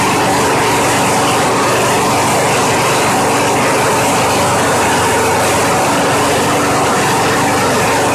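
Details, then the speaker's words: Craftsman mower model 917.388113 after carburetor cleaning cleared a fuel blockage: loud, steady small-engine drone at even speed, no misses or surging; starts right up and runs cleanly, normal running. "well that engine just sounds good tightness wow that thing just started right up and ran once I put the spark plug wire back on it"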